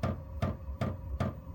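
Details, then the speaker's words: Diesel parking heater, powered from AC mains through a 12V power supply, in a shed. At startup it runs self-tests before firing, and the fuel dosing pump gives crisp, even ticks about every 0.4 s; normal pump ticking. "It's testing, making sure it's safe to fire. There goes the pump."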